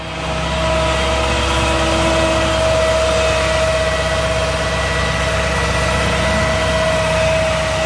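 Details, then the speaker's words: 2004 Chevy C5500 rollback, 6.6 L Duramax, PTO on: high idle kicks up automatically, with a steady even hydraulic pump whine and no knocks or surging; bed and wheel-lift hydraulics are healthy. "Go ahead and turn the PTO on. You hear the high idle kick up automatically, so you don't need to do that."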